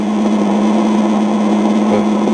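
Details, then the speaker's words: Eico Model 147A signal tracer under repair: the generator input sounds normal, but the output carries a steady hiss and crackle over a low hum. The noise is traced to the AGC circuit; a broken capacitor lead or failing component is suspected. "this is the input for my single generator going into the board and it sounds fairly normal and we'll listen to the output I hear some of that noise riding on the"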